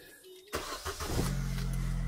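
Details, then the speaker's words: Vauxhall Tigra 1.8, first start right after fitting a new two-section exhaust system: short crank, catches fast and settles into a low, smooth, very quiet idle with a soft exhaust note; healthy start. "oo that's quiet wow that is that's very quiet I like it"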